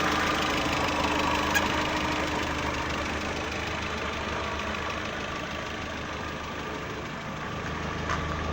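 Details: VW Saveiro 1.6 2012 after replacing the gearbox bearing plate, which had growled at idle in neutral with clutch released (stopped when clutch pressed): even idle with soft steady low hum, no gearbox growl; fixed.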